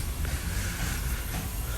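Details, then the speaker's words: 2005 truck, crank no-start, building only about 100-some psi ICP: air test on the high-pressure oil system gives a steady rushing hiss with no popping of pushed-out oil. A big leak is suspected, maybe an STC fitting, side unknown; both valve covers come off next. "but we didn't hear that we're just hearing straight airs quite a bit"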